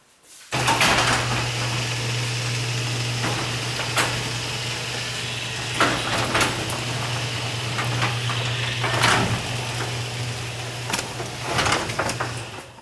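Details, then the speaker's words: Garage door opener after spraying lubricant to cure squeaking, door opening: even, low steady motor hum with only light clicks and rattles from the door; runs smooth and quiet after servicing. "So far, so good. It sounded pretty good there, huh?"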